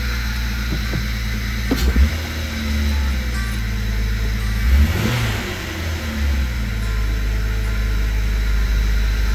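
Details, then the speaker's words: Jeep WJ with airbox off, after a vacuum tube found off at the throttle body: still idling high, above the 750–800 rpm expected, with loud intake hiss and a slightly uneven pulse; owner feels a possible miss, no warning lights. "it should be down there around 750 to 800. And I do feel what might be a miss. It was a lot smoother when I first started running it."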